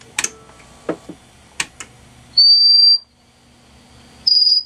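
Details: 1940s Standard Business Machines model 160 Magnescriber Deluxe wire recorder during a dynamic-microphone recording test: steady high whistle in two half-second bursts with quiet clicks between, an amplifier squeal. Owner suspects a bad solder joint.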